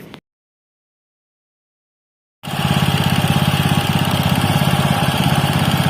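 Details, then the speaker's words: Robin Subaru EX21 7 HP 211 cc air-cooled four-stroke OHC single-cylinder horizontal-shaft engine, CDI ignition, recoil start, not new: after a short silence settles into a clean, regular putter with no tapping or hunting, very smooth; normal running. "seperti itulah tadi temen-temen bunyinya dari Robin ex21 ya walaupun bukan dalam kondisi baru tapi terdengar suaranya itu masih sangat halus yah dibandingkan dengan yang lain"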